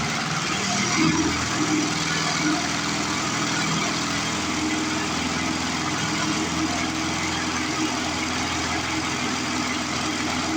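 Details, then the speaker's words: Older 22-inch Murray push mower, 3.5 hp Briggs, with a new blade someone fitted. The engine runs with a coarse, shaking rattle over its steady beat; the heavy vibration and racket come from a bent crankshaft, confirmed bent. "Because $5 Murray is parts Murray because she's got a heck of a bent crankshaft on her. You can tell that just by the way she's vibrating and making all kinds of racket."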